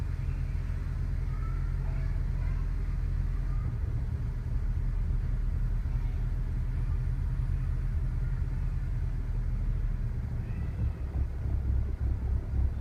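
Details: BMW E60 535i cold start: deep low idle rumble with a slightly lumpy, uneven beat and no distinct knock; rough idle, cause unclear.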